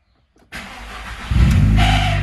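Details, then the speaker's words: Audi A3 1.8 Turbo: a harsh starter whir for under a second before the engine catches and roars. The noisy starter is to be taken apart, with new brushes, bushings as needed and lubrication. "va ese ruido que hace el arranque lo vamos a desarmar también vamos a cambiarle el carboncito hacerle los bujes que haga falta lubricar todo eso"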